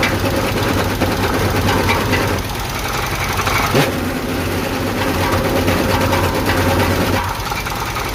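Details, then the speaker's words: 1976 Chevy El Camino V8, first run after long sitting: rough, loose, irregular knocking through idle, never sounded like that before; cause unknown, possibly from sitting or engine wearing out. "this engine sounds like Purity [ __ ] whether it's from sitting whether this thing was just on its way out last time I heard this engine run it never sounded like that"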